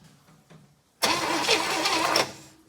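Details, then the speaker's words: 1964 Chevrolet Impala sitting about 50 years, spark confirmed, extra fuel added: about a second of starter churning, no catch or firing; crank no-start, compression test next (about 90 psi found). "so even at that we know we have spark and it kind of did nothing again so we're going to throw a compression gauge on it and make sure she's actually got some compression in those cylinders"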